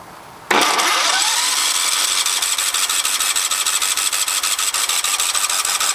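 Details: Kohler 17.5 HP engine, 347.7 hours, serviced every 25 hours and repaired before: starter chatter with rapid even compression pulses that never catch; cranks fine but won't start.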